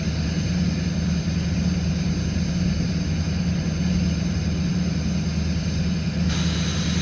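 Steady, even low diesel drone at a raised idle with no knocks or misses: normal fast idle just after a cold start.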